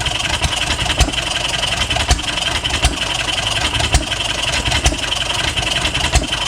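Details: 1HP Fairbanks Morse Eclipse hit-and-miss farm engine: sharp firing bangs about once a second with coasting beats between, slightly uneven over a hiss; normal hit-and-miss running.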